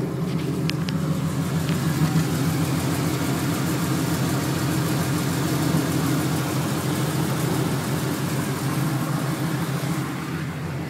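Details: 1996 Chevrolet Camaro Z28 LT1 V8 idling with a light, fast, even tick over the rumble, steady with idle; owner suspects valve train needing valve adjustment, cause unconfirmed.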